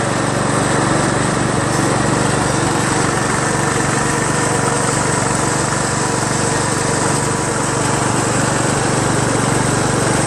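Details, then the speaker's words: Craftsman LT1000 lawn tractor after new drive belt install (owner unsure it's the right belt), first test drive around the block: steady even single-cylinder drone, a little noisy, no knocks or misses; engine running normally under load. "Seems to run pretty well. Well, I just went around the block. Seems to drive fine."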